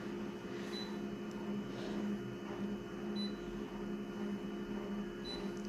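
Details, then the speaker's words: Konica Minolta scanner running a scan: quiet mechanical whirr with short, high, repeated squeaks about every second; something in the drive is squeaking. "these terrible squeaks folks it's not a good look for the company that made this machine Konica Minolta"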